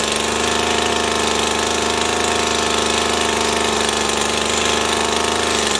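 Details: Stihl FS 80 R two-stroke trimmer, after fuel line, primer bulb and ignition coil repair: steady high, even buzz with no misses or surging; engine runs cleanly.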